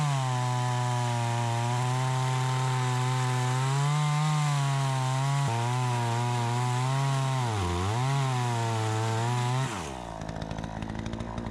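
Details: Troy-Bilt 20-inch two-stroke chainsaw, bought new, after carburetor adjustment: strong steady buzz dips briefly biting into wood, recovers cleanly, then settles to idle; cuts better than ever, owner may tune for more RPM; normal running under load.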